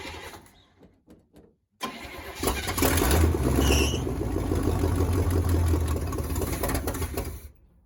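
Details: 1979 Chevy C30 first start attempt after eight years sitting: starter cranks, engine stumbles then catches into rough run; carburetor floats were stuck, freed before retrying.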